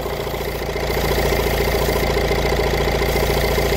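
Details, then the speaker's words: 2019 Vauxhall 1.6 diesel with DPF low-efficiency fault and engine management light on: idle stumbles three or four times a second with wavering beat; engine missing at idle. "I don't know if that missing is coming across on camera"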